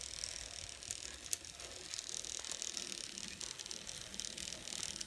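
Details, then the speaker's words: N scale Atlas/Rivarossi 2-8-2 Mikado, old non-runner, reassembled, test at very low power: light, even whirring with soft gear ticks and no stumbles or grinding; a fantastic runner. "so here's the moment of truth actually it's a fantastic Runner"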